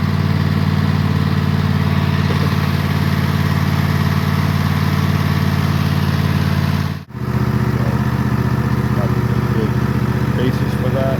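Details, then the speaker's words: Husqvarna TS148XK lawn tractor, bought June 2024, fuel treated with additive, throttle set just below fast: strong, even low drone at full throttle holding steady pitch with no misses or knocks; healthy engine. "it's fueled up and I'll set the throttle not quite to fast start and so you can hear what it sounds like Full Throttle"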